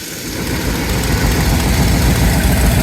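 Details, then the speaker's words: 1989 Bentley Mulsanne S, 6.7-litre fuel-injected V8 at idle: rapid puffing chuff about four per second over deep idle; exhaust leak, owner suspects manifold, exhaust smell present, not confirmed. "It's got an exhaust blow coming from somewhere, maybe the manifold. But I can smell exhaust gases, and obviously you can hear that."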